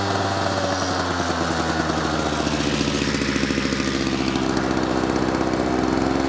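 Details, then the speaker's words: Victa edger after carburettor rebuild, running on choke lever set to run: small single buzzes steadily with ragged, hunting edge; owner suspects fuel starvation (possibly flooding), diaphragm and float may need replacing. "um it's either having a fuel starvation or a flood one or the other it sounds like it sounds like a fuel starvation to me"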